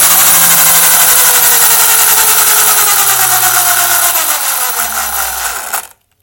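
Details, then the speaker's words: HPI Vorza RC buggy after front diff rebuild (diff case broke in a crash) and new tower: loud high whirring gear whine shifting pitch with throttle under acceleration; abnormal drivetrain whine, cause not pinned down. "Everything else looks good, but it just doesn't sound right. I don't remember it sounding like this when I'm accelerating."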